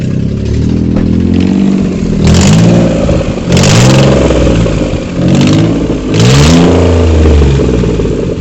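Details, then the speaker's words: Suzuki Alto 800 running: loud raspy blatting that swells with each rev, leaky puffing from the manifold area; exhaust studs found damaged, causing the silencer noise. "यह देख सकते हैं इसका silencer में problem ए गई इसके stud होते हैं वह खराब हो गए हैं"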